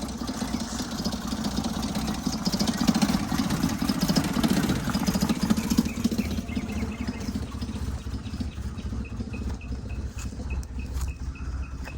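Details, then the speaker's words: 1977 Toyota motorhome idling while warming up after months parked: rough, uneven idle with a loose metallic rattle, which the owner attributes to a lost bolt that connected the air filter to the motor. "Turns out the reason it sounds so bad is I've lost a bolt that connected the air filter to the motor. That's that weird rattling sound."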